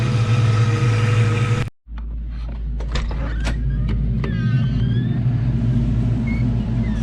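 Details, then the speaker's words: Project 4TO8 car on a cold, icy Tennessee day in the shop, defrost just switched off, new oxygen sensors fitted: deep, even engine note settling after a brief cut-out, revving smoothly with no stumble or knock; sounds great, healthy. "But, hey guys, she sounds great."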